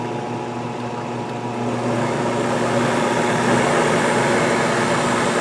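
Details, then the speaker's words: Harbor Freight 12x33 lathe converted to a 2.5 hp treadmill motor with variable speed and reverse, running at about 1000 RPM; even, steady hum rising slightly, no knocks, relatively quiet, quieter than before the conversion. "there's your th000 RPM is is relatively quiet it's certainly quieter than it was"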